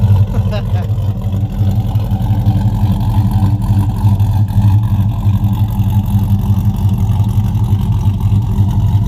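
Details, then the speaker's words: 2007 Chevrolet Avalanche after a rear end install (3.73 gears), cold start after sitting a long time: deep, lumpy, loping idle of about three beats a second; the engine runs well. "thing loping, ain't it? Y'all hear it."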